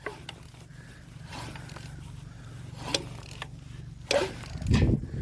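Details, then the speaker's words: Seized engine being revived for a scrap-built car, plugs out, warmed diesel poured down each cylinder, turned slowly by hand with a small ratchet: irregular valve clicks and ratchet clatter; valves still slightly sticking, hoped to free up as diesel soaks in. "And yes, you can hear the valves clicking because they're still slightly seized"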